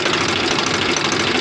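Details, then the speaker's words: Swaraj FE tractor diesel after tappet (valve clearance) setting, loose tappet being the cause of earlier tar-tar ticking; brief steady idle, even firing with no separate ticking; valves sound quiet. "देख सकते हैं दोस्तों इसका पूरा firing change हो गया मैंने तो उसकी आवाज़ थी जो पहले उसमें टर-टर की आवाज़ थी ना वो बिल्कुल गायब"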